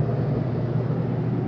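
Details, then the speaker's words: 2024 Flagstaff Shamrock 233S travel trailer air conditioner running: steady low droning hum with even airflow, no knocks, rattles or rising whine. Normal running. "but what I want to show you is when I shut the AC off that shuts off immediately it will take a few minutes for that fan to cycle through before it shuts off"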